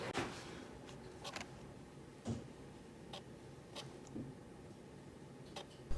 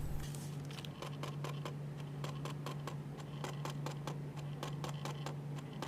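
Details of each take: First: Canon 70-200 image-stabilized lens, after a drop made the stabilizer rattle, repaired by refitting its fallen-off limit switch: half-pressing the shutter, the stabilizer switches on with faint soft clicks and brief whirs, shutting off after about 2 seconds, no rattle; normal operation. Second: Dropped latest-model Canon 70-200 telephoto lens mounted on a camera body, autofocus normal: sharp, uneven clicking over a low hum when the lens is lifted. The image stabilizer fails to switch on and off properly after the fall.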